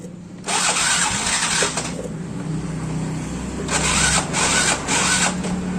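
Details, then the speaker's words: Yamaha Mio Soul GT scooter, unused for several days, after a new spark plug: two bursts of electric-starter cranking but the engine never catches and still won't start; oil later checked and found normal. "Ternyata masih belum hidup."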